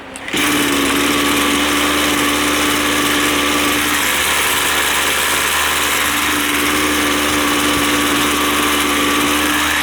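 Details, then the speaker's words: Line trimmer two-stroke during carburetor adjustment, low-speed screw turned to the right: fast, steady, high-pitched buzz instead of a lazy idle, and the head spins; idle too high, so the screw is backed off. "Now that's sounding much better, but if you notice on the head over there, it's actually spinning."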